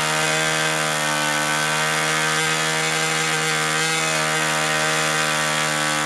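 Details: Old Austrian HP 61 two-stroke nitro RC airplane engine being tuned by leaning the high-speed needle: a high, steady buzzing scream with an even tone and no break-up, running smooth at high speed.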